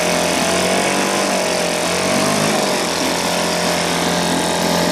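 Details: 1980 Johnson 2 hp two-stroke outboard running after a complete teardown and rebuild that fixed a stripped crankshaft and cracked coils. Steady, high-pitched buzzy note holding even revs, with no misfires or rattles.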